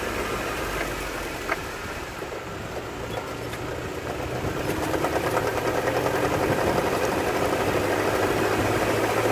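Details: Jeep Wrangler JK driving slowly in 1st to 3rd gear: light, fairly regular knock about three a second over low running noise; owner suspects transmission case or differentials; fades above a certain speed or 4th gear, sometimes absent once driven a while.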